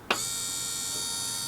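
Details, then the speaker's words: RV stove hood vent fan after a new motor was fitted, not seated quite right: steady, even whir with a thin high whine and no rattles, much quieter than before though still louder than wanted; fan running normally. "i am happy with how much quieter it is"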